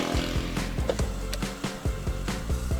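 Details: 2005 Honda Jazz IDSI manual, power window that sometimes won't go up or down: it grinds coarsely with uneven clunks about twice a second as the glass travels; rough-running window regulator.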